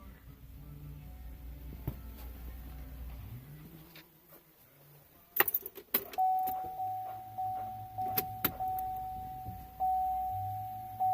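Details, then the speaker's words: Chevrolet Colorado/GMC Canyon 2.8 Duramax diesel after fuel filter change, key cycled to prime: steady high electric fuel pump hum with soft ticking and no gurgle; priming cleanly with air purged. "cycle the key a few times on and off that way you can prime the fuel pump all right I'm gonna climb out hopefully you can hear the fuel pump"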